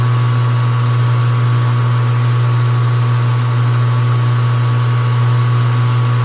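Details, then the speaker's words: Small lathe cutting a 20 diametrical pitch, 14 degree pressure angle, 50-tooth gear at a 30 depth with feed rate turned down, steady low drive hum and smooth cut with no chatter or squeal; cutting fine. "Turn my feed rate down a little bit. Sounds like it's taking it all right."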